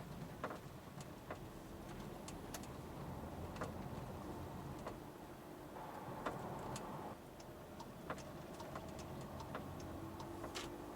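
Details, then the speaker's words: Skoda Kodiaq driving over bumpy industrial roads, action-cam microphone near one rear wheel: faint, irregular light clicks, like something loose moving under strain; corner suspected, cause not found. "I suspect it's coming from that wheel it's making like a little click sound I don't know how to describe it it's like something's loose in there and it just moves a little bit each time there's strain put on the wheel"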